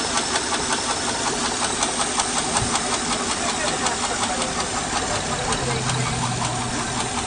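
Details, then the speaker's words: 2008 Honda Odyssey, 212,457 miles, idling: sharp, fairly even light top-end ticks (about 160 a minute) from damaged camshafts and rocker arms; timing belt, changed 27,000 miles earlier, was twice wrongly blamed. "it's been making three different noises it sounds like ticking in the top end squeaking in the top end and maybe I'm knocking in the bottom end but it still drives okay"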